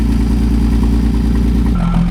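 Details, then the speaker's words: Old Allis Chalmers forklift lifting a load: loud low rumble with coarse rattly clatter as the engine is loaded; the rattle is the hydraulic pump, which has no intake, not the engine. "So, that noise you hear there that sounds like the engine sounding terrible is actually when we load the engine up, the hydraulic pump rattles a lot and it doesn't have an intake on it."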